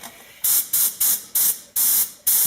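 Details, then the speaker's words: 1986 Ford F150 (front disc, rear drum) brakes bled with a homemade vacuum bleeder, a bottle with a siphon wash gun, while the pedal is pushed under suction: six sharp clean airy hiss bursts; normal suction. "and then I go push on the pedal while it's still under suction and that helps me to bleed the brakes"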